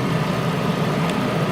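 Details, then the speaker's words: Mercedes with original parts, engine start at idle: smooth, even low hum with steady quiet exhaust note, no knocks or ticks; dealer says engine and transmission function as they should, normal quiet idle. "So as you can hear, engine's real quiet, exhaust is quiet, everything works electronically, air conditioned."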